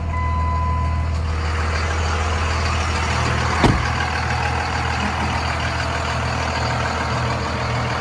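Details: 2001 Dodge Ram 2500 4x4 with 5.9 Cummins diesel, 6-speed manual, 81,000 miles, fully serviced: after a brief start it settles into a steady, even low clatter with no knocks or misses, a healthy idle.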